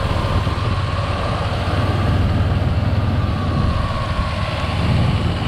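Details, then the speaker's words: 1996 Ford Ranger 2WD 4.0 L V6, first run after top-end overhaul, warm; steady even low rumble with no ticks, knocks or misses, no blow-by. Normal idle. "beautiful no blow by nothing crazy everything looks great running great"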